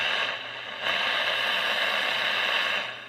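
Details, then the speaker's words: Cobra 142 GTL CB base station that squealed with a train-whistle sound at 3/4 volume or more, after the fix, at max volume: only a soft, even hiss with no whistle or squeal. The receive audio is clean. "right no more choo choo train or squeal"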